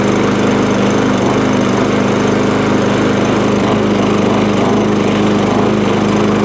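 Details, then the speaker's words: Old MTD push mower with rear roller, from a job lot, running at steady speed with tinny rattling from loose sheet-metal covers. It "sounds like a bag of nails" but runs okay, with no bent crank; a spark plug, oil change and possible carb clean are planned. "don't run too bad it just sounds like an absolute bag of nails all the covers all loose it's not got a bent crank or nothing like that"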